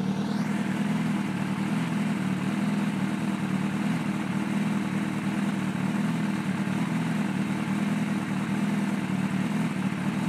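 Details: 2005 Kawasaki ZX-6R 636cc track bike, 7,219 miles, Muzzy full exhaust, Power Commander, not started for a couple of weeks and just about warmed up: steady, even idle with a smooth low burble, no knocks or misses; normal idle.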